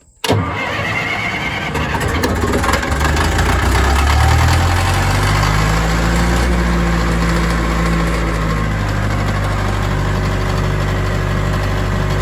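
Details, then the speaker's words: Old tracked loader diesel, relocated from another farm, cranks and catches at once, then given some fuel, settling into a steady, even idle with a clean low rumble; healthy start and idle. "So anyway, let me fire this thing up for you, and I know a lot of people like to hear it, so let's get her fired up here."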